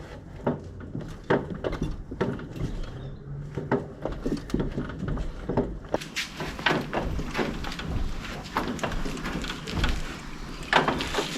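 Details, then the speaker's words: Classic car rocked back and forth in gear to load the engine and transmission: occasional dull clonks with a deeper bell-like ring, suspected from the driver's side; owner suspects CV joint, ball joint or steering/suspension but cannot locate it, engine mount ruled out. "Ah, there it was. Yeah, it's more like a deeper kind of a bell ring."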